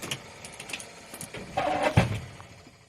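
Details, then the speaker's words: 1948 Ford F5 flatbed, Mercury 256 flathead V8 with valve issues, starting hot with the clutch pushed in: uneven clattering bursts and rough grinding clunk as the starter tries to catch; owner suspects the starter is coming apart or the clutch, unconfirmed. "I wonder if the starter's coming apart, because that's the last thing I hit. The clutch was pushed in. Oh, maybe that's what it is. The clutch is, or the starter's going bad."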